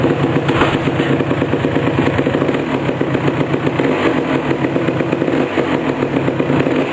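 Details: 1988 Suzuki LT250R two-stroke quad, first start after a complete engine rebuild: crisp, even putter with quick throttle blips and no knocking or misses; the engine runs healthy.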